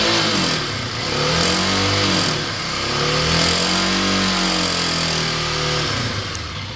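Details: Kawasaki KLX250 single-cylinder revving with a dry metallic clatter mainly from the engine's right side; failing automatic cam chain tensioner, a common fault on this bike, fixed by fitting a manual tensioner.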